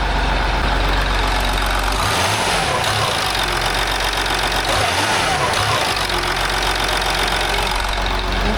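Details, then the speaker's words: 2008 Land Rover Discovery 3 TDV6 diesel after full engine rebuild, no noise covers fitted: idles, then rises and dips sharply on throttle release, a brief extra surge with visible engine movement; cause unclear, throttle reset hoped to fix it. "That sounds strange. I hope that's going to go away. Maybe with a throttle reset or something, but I never had that before. It's definitely when I come off the throttle, it does that additional excel for a millisecond."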